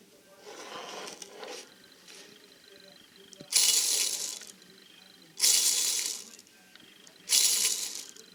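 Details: 1975 Bultaco Sherpa during rebuild, turned by hand: bursts of dry, gritty metallic rattling, each about a second; suspected worn bearings, unconfirmed.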